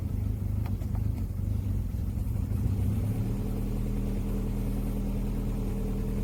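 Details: Opel Omega B, 4th-generation propane-butane LPG that wouldn't switch to gas; with the arming valve stem removed so gas goes straight to the reducer, low steady even idle on gas, no stumbles or misfires, so the valve (its coil suspected burnt) is at fault.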